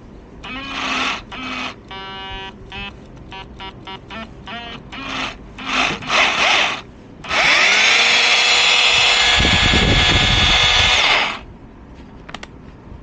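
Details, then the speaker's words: Cordless rotary hammer that wasn't working, run partly reassembled with brushes and battery fitted: high motor whine bursts, then a steady run with a rattle. Hammering works, but an odd noise near the trigger area is suspected to be misalignment. "Вот этот звук. Бой есть. Ладно, сейчас соберу, потому что где-то перекос может быть."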